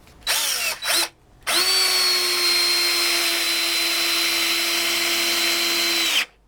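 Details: DeWalt DCD710 drill/driver, freshly charged 2.0Ah battery, first speed, driving a 5x90 mm screw; even high-pitched motor whine holds steady about five seconds without bogging down; healthy drill under load.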